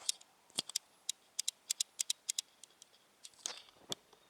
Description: The clicking issue from the new sony nex-5n